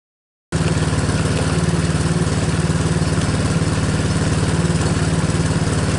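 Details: Tao Motors mini quad, single-cylinder, idling while alternator tested, charging at 14.5 V; steady even putter about four beats a second, no misses or knocks, healthy.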